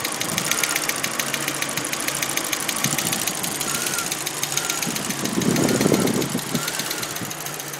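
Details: Audi A4 petrol engine just started after a timing belt job: sharp light ticking about three times a second over the idle.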